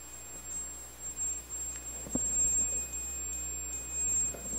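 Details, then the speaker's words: Multimeter continuity test before checking an 8-ohm, 5-watt speaker coil: steady high-pitched continuous beep over a quiet room, confirming the meter's continuity buzzer works. "Ok, está emitindo bip."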